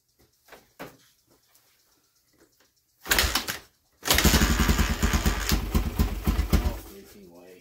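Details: Honda XR 250 single-cylinder motorcycle stored 10 years, on old fuel with no fresh gas added, carburetor not yet cleaned: after some clatter it fires and runs with quick, uneven thumping around four beats a second; rough running.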